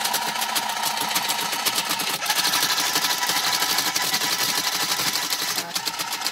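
A fast, busy chatter of crisp relay clicks, about four a second, runs steadily with no stalls; the relay machine is working normally.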